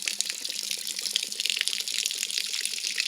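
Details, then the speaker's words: Old Shasta motorhome being winterized, water heater switched off, hot and cold taps open to vent: steady splashing gush with gurgling bursts as air gets in once the relief vent is pulled; water heater draining freely. "See the water coming out right there. Water heater draining. Water heater draining will pull the vent."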